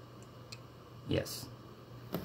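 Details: Desktop PC that stopped booting after a power outage, even after a new GPU and power supply were fitted; owner believes it needs a new motherboard: a few faint irregular light clicks, no beep and no fan spin-up; clicking, no boot.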